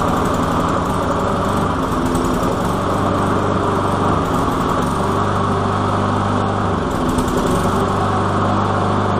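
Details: Walk-behind lawn mower, small single-cylinder engine, after priming and carburetor cleaning with methyl hydrate: steady fast putter with slight wavering hum, healthy and even; normal running.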